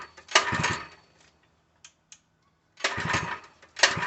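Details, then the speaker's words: Open-box Harbor Freight 3HP small engine (SKU869733), full of oil, fully choked: two sharp pull-start bursts that turn over but never catch. No-start; the owner suspects fuel delivery since it gagged once with gas poured into the carb. "I was choking the hell out of it. I don't think it's working though. It ain't starting too well."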